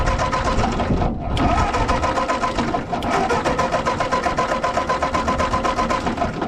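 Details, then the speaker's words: Ford 8N tractor on jumper pack after carburetor screw adjustments: fast steady starter churning, about four strokes a second, no firing or catch; only popped after cranking stopped, so owner suspects spark is lost while cranking, unconfirmed. "I don't know if we're losing spark when I'm cranking or what because then I let off of it is when we got the pop out of it and then it quit working again"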